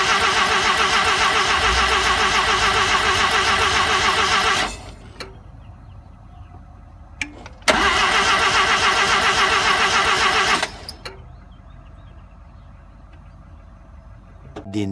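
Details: RX-7 start attempt after setting base timing: two long, steady cranking bursts with no catch. Crank no start; it later started and the owner is unsure what changed.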